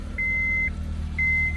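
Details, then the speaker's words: Honda CR-V (2002-06) after ignition lock cylinder replacement, old immobilizer key held in place: cranks and starts, then low steady idle under two half-second chime beeps; engine healthy. "So now we got our key in there, and now we will crank it again. So, and it starts."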